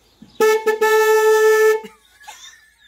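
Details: VW Golf 2 1.8 RP, one of two horns had been defective and blowing fuses, original horn connected: one clean, steady mid-pitch blast about 1.5 seconds; horn sounds properly.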